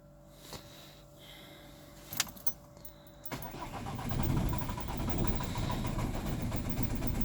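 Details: Volvo V50 2.0 diesel: key clicks, then the starter churns steadily for several seconds at an even rate but the engine never fires. Crank no start.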